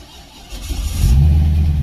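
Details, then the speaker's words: C6 Corvette, V8 just after full engine rebuild (flooded car), restarted after battery died: quiet, then catches into deep steady even rumble with firm rev, rowdy; already warmed up, oil pressure about 36 psi; normal start and idle. "we go oh it's rowdy its rowdy for sure sounds good oil pressure like 36 psi it's already warmed up"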